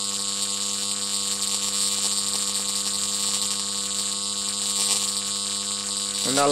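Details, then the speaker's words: Homemade high-voltage transformer with new, better-insulated secondary coil: steady harsh sizzling buzz of a sustained arc drawn cleanly across a 2-inch gap. "I made this one so off there go not bad eh 2 in gap"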